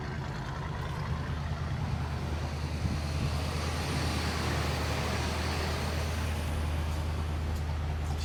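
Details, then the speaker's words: 1980 GMC K20 square body V8, sitting since about 2014, restarted after filling the carburetor bowl: deep, steady idle rumble with even beat, no misses, knocks or ticks; oil pressure pegged; normal idle. "So smooth. How's our oil pressure? Pegged."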